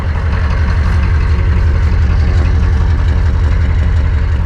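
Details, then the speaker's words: 1988 Chevy 2500 with 6.2 diesel, aftermarket Banks turbo, over 400,000 miles, just revived; steady low idle, barely smoking, with an even light tick about twice a second, normal diesel injector clatter. "I mean she don't sound bad look barely smoking I mean it sounds like it's got a little freaking tick but that's a diesel"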